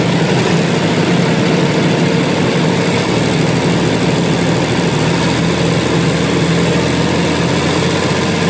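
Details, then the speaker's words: Liebherr PR731C dozer, about 12,000 hours, diesel at wide-open throttle after undercarriage work: steady, even high-speed roar with no knocks or surging, about 2150 rpm against the 2200 rpm rating, nearly hitting the injection pump stop. "I set it uh it wants 2200. I maybe got 2150 out of it."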